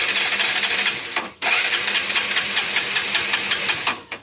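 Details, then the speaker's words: Motorcycle that won't start, with a good spark confirmed: dry, fast crackling ticks as the engine spins over on the starter and never catches; the electrics are ruled out, and an oil-fouled or carbon-fouled spark plug is suspected. "Okay பக்காவது okay அப்போ electrical பிரச்சனைல்லாம் கிடையாது. இது வந்து ஸ்பார்ட் plug ஓகேவா ஸ்பார்ட் plug கண்டிப்பா oil வச்சிருக்கலாம்."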